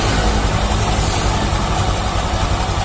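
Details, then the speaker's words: Honda Vario 150 LED (K56) after repairing a rough, noisy CVT, recorded up close: steady, even hum with no grinding or rough growl; the CVT now runs smooth. "Oke, di sini sudah sangat halus, sudah enak seperti semula."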